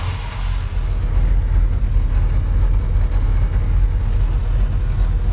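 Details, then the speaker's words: 1969 Plymouth Road Runner, 440 V8 swapped into original 383 car, 727 automatic, rebuilt carburetor, new exhaust, just started after delivery: deep, even low rumble, steady without stumbles or tapping; sounds really good, nice smooth idle. "It sounds good though. Sounds really good. Oh man, there's nothing better than that smell. Best smell in the world. A nice smooth idle."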